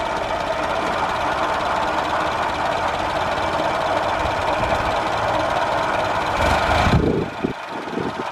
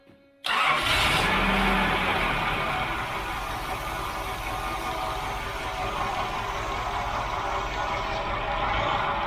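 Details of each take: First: 1989 Nissan 4x4 pickup, eight-plug four-cylinder, off the road seven to eight years, ignition timing adjusted at the distributor. Steady, even running, then it drops and settles to a smooth idle; timing sounds right; normal idle. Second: 1989 Nissan 4x4 pickup, eight-plug four-cylinder, parked about eight years, oil at five quarts, new clamps fitted, several vacuum lines still disconnected. Catches at once into a fast, slightly uneven idle with a hissy edge; vacuum leak.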